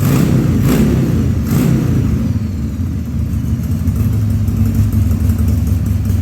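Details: 2000 Harley-Davidson 1200 Sportster V-twin on its first start after a carb rebuild and leak repairs, air cleaner off so the intake is open: a lumpy idle with uneven stumbles and coughs, running slightly lean.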